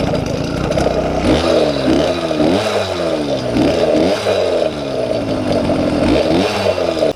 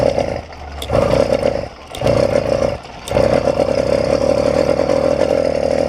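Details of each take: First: YD100 two-stroke on a 78 jet, needle unchanged, air screw 1.5 turns out, after going down from 82 and 80 jets: quick blips rise sharply and drop cleanly with no bog. Normal, crisp throttle response. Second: YD100 two-stroke bike engine after piston ring fix, riding: buzz keeps dropping out and picking back up at part throttle, jerky, bogging and nearly dying around half throttle; carburetor running too rich.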